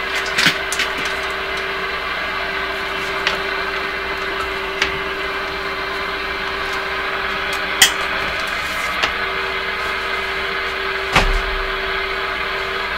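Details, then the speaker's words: Hallicrafters S-38D communications receiver during oscillator alignment, tuned to 30 MHz: steady hiss with low constant hum and scattered sharp crackles coming from the set on its own; source unclear, possibly better alignment in that range. "you know that that sound that's coming out of the radio on its own"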